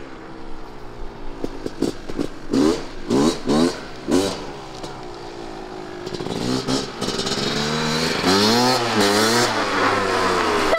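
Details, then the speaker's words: 1998 Kawasaki KX250 two-stroke after repair following poor running since rebuild, ridden out: crisp blips into sustained high rev then clean drop; pulls freely; healthy revving. "I think he's happy oh that sounded better what do you think we got it it's a nice feeling I've never done that for anyone before I've seen you that happy oh yeah much better"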